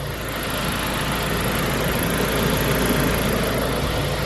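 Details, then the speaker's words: 2003 Saab 9-5 Linear turbo petrol after PCV repair for oil consumption, before test drive: smooth even idle building slightly, no ticking, knocking or hissing; runs very nicely. "Man, this thing runs so nice."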